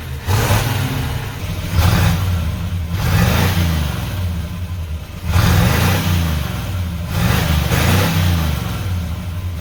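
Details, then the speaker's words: 1968 Pontiac Ventura V8 after a new Amazon universal single exhaust with a Thrush muffler, heard from outside: deep, even burble with clean rev bursts swelling and settling, no rasp, drone or leaks. A healthy, well-sealed exhaust. "Listening to it outside, it sounds way better. Thank you, Thrush."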